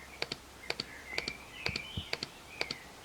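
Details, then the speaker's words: Two-stroke oil injection, engine off, after releasing throttle: crisp double ticks about twice a second, steady and even in a quiet room, oil pump clicking normally and jetting oil into the duct. "On lâche la poignée et là on doit entendre la pompe à huile quoi qui sort l'étrangleur et ça doit goûter."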